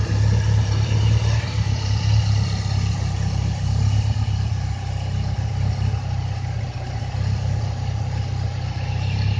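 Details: Mitsubishi 4G63 turbo engine running and revving with a lumpy, uneven note and irregular stumbles; misfire, cause unknown.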